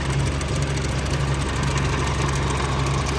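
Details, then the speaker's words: Generac 50 kW propane generator bought at auction, side panel off, propane hose fed straight to the regulator, warming up: low, even idle with no knocks, very quiet. Owner thought he heard a possible lifter or valve-train noise. "looks really clean very active very quiet even when the sides off"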